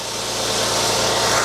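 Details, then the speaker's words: Porsche Boxster S (986), still cold, idling after timing chain tensioner replacement, engine hatch off: smooth, even idle with steady low hum and no rattle or tapping, whereas before a noticeable start-up rattle existed; owner wonders if coldness matters. "but before there was a a noticeable rattle on start up now is that because the engine is I mean the engine's not even warm it's still cold"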